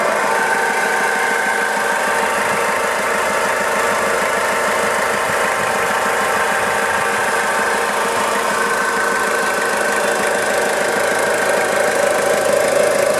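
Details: Warm 2000 Toyota Hilux 5L diesel idling, timing belt and water pump already replaced; fast rattly chatter, about three or four per second, in time with the engine, like a bearing, over a whirring whizz; engine responsive with no power loss; source unknown.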